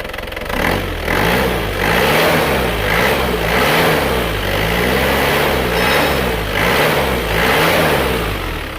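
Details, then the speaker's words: Isuzu Panther Grand Touring Euro 2 diesel after engine repair (had blow-by, oil consumption), injection pump timing retarded from too advanced: revs up and settles with soft, even clatter, no harsh knock; smooth normal running. "Nah, kalau ini mantap ini. Suaranya halus, tidak terlalu kerang ini."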